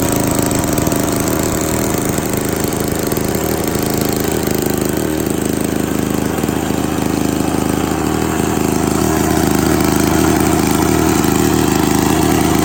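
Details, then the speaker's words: Victa 18 classic two-stroke lawn mower, primed and at half throttle, started on the second pull: steady, even buzz with no misses or surging; runs healthy, though it leaks fuel. "that was interesting it started on the second pool very happy with that idea"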